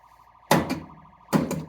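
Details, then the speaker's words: Barn-find Stern Wild Fyre pinball during solenoid test: a steady warbling wail runs nonstop behind solenoid thumps; solenoids 1–4 seem to work, and the source of the constant background noise is unknown. "I think those are working we've just got a trimmer that's constantly going in the background"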